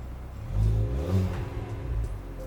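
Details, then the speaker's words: Engine not yet warmed up, after regapping spark plugs and installing HKS Circle Earth grounds, starting faster; throttle blip rises smoothly and returns to even idle, no misfire, slight popping at rear blamed on cold engine; normal revving. "i mean the engine hasn't been uh warmed up yet so that's probably what that is and everything is good with the grounds i think as well yeah so i think everything sounds pretty good guys"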